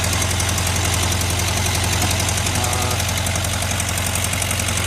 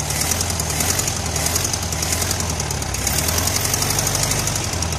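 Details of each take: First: 1973 VW Karmann Ghia, first run after 28 years stored, with new plugs, wires, coil, cap and rotor and an electronic ignition replacing the points: steady idle with a low drumming beat and no misses; idle set a little low, and timing may still be off. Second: 1973 VW Karmann Ghia, sat 28 years, with new plugs, wires, coil, cap, rotor and electronic ignition replacing points, just started after bogging: low, lumpy chuffing idle three to four beats a second; idle set low, timing possibly off.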